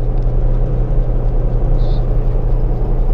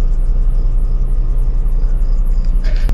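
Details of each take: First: Washing machine after repair: loose belt flipped over to tighten it; steady low motor hum with an even whir, no slipping or squeal, spinning smoothly and strongly. Motor was fine, only the belt was the problem. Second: Washing machine that hummed but would not spin, now spinning: heavy, pulsing low rumble, loud from a slightly loose belt and worn gear.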